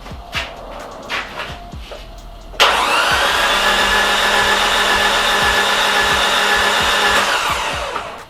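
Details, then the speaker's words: Nissan S13 200SX CA18DET cranking, plugs in and tight: light even whir with a slight pop but very little compression on cylinder 4 compared with cylinder 3; blown head gasket suspected, with water everywhere. "There is a slight pop, but I can hear that there's very little compression on that cylinder. And that's kind of worrying."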